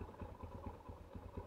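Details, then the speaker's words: 2008 Yamaha Scorpio 225 after engine teardown and rebuild, following rough running after five months unused: even regular low thumps with clutch pulled, no rattle between beats; idles fairly smoothly; normal idle. "Nah, suaranya udah lumayan halus nih ya."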